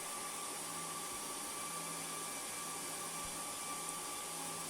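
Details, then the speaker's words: HP ProLiant DL380 G7 server fans back at high stock speed, heard in the server rack: loud constant rushing air, steady low hum, faint higher whine; fans running flat out. "so the fans immediately go back up and I can totally hear them now but before I couldn't that's incredible"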